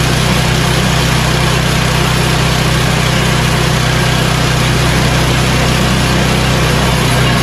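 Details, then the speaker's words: Yard Machines snowblower, 8 HP Tecumseh, after carburetor replacement and fresh oil, at full throttle; steady even beat with no surging or hunting, fully tuned up and ready for winter; normal running. "this snowball is now completely tuned up it's ready for the winter"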